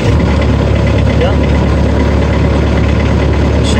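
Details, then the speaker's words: Bobcat T190 skid steer diesel after repairing a faulty wire that cut ignition power, causing random shutdowns and no-crank: steady diesel idle with an even low rumble, no stumbling or cutting out. Normal idle. "running well definitely working let's run shut it off very nice"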